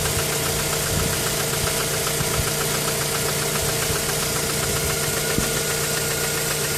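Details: Mazda 3 petrol engine knocking at idle after a spark plug change, with a misfire when stationary: uneven tick and knock over a steady hum, with occasional sharper raps; cause unknown.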